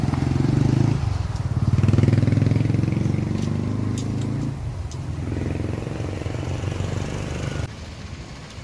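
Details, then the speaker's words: Motorcycle exhaust after the rotted pipe was replaced, before the owner's requested extra fiberglass packing; deep, even exhaust thump swelling with light throttle, no rattles or blowing leaks; normal exhaust note. "มาหาเจ้าของรถนะครับแกบอกให้อัดใยแก้วเพิ่มนะปกติตัวนี้มันเป็นผ่าหมกมันก็ไม่ได้ดังเท่าไหร่นะครับ"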